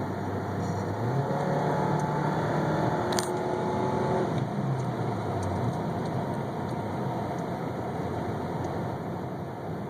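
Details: 1998 Toyota Camry petrol engine idling with a rough, uneven beat from a misfire.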